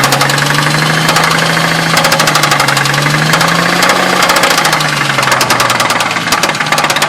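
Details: 2000 Ford Mustang, warm idle after 5-10 minutes of running, honey added to see if it helps: steady quick ticking knock riding over the engine note throughout; owner suspects rod knock, unconfirmed.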